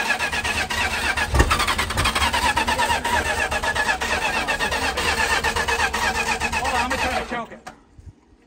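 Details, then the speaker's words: 1968 Plymouth Fury 318 V8 with one-barrel carb, not run in over 20 years, fuel filter checked clear: fires and runs lumpy with skipped strokes; two rusty spark plugs and a stretched plug wire, coil suspected; misfire. "cool oh yeah that's awesome it's missing a little bit I can something over I was missing really good yeah but these plugs are there's two really rusty ones"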